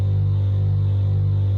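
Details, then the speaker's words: Caravan roof air conditioner before warranty replacement: loud low hum swelling and fading about twice a second in steady throb, audible outside; annoying pulsing noise, unit later replaced. "So it's that kind of throbbing sort of pulsing noise that uh is really annoying."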